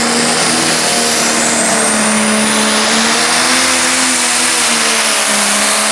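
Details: Pulling tractor Neighbours Nightmare at full pull, Putten beach pull 2012: engine screaming flat out, high turbo whistle, wavering tones as load changes, then the turbo fails.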